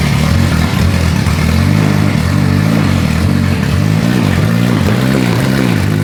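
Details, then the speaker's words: Ferrari F430 rebuilt engine, first start in over 7 years, revved: rough, uneven, popping note with flames from exhaust; spark present on right bank but ignition timing wrong. "you can see by the excess of flames that it is sparking at the wrong time"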